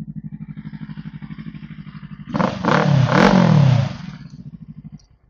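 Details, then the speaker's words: 2011 Kawasaki Versys 650 parallel twin, 139,000 km, LeoVince exhaust: even idle pulses, then a smooth clean rev rising and dropping back to steady idle; engine sounds healthy. "okey bunyi enjin semua pun cantik lagilah beli pakai saja."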